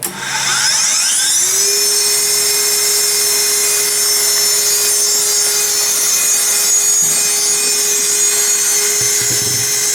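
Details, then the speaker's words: Technica ZSM-5100 center hole grinder, spindle (the main component) powered up again to hear it wind up. A high whine climbs over about 1.5 seconds, then holds steady and smooth; the spindle sounds healthy. "And then we shut it down again, just to listen to it wind up, which is the main component of this machine."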